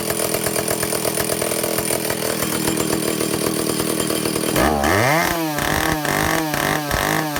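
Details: Vintage Stihl chainsaw after air leaks fixed and fuel system repaired, test run, no bar: steady high-rev two-stroke scream, clean blips dropping back to smooth idle; runs well, properly tuned.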